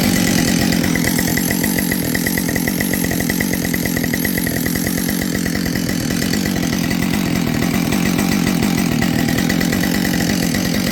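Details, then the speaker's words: Husqvarna 572 XP chainsaw rebuilt from salvaged used parts, running at a steady high speed: dry metallic piston rattle under the exhaust note. Owner suspects another decked cylinder and a worn top end; not confirmed. "you know I'm going to bet you money that we pull this apart we're going to find another uh cylinder that was decked and you hear that piston rattle"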